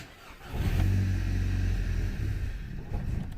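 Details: 2010 VW Golf GTI 2.0 petrol start in cold weather after the battery sat about 5 days (78% charge): short crank, catches promptly, deep steady run; started fine three times.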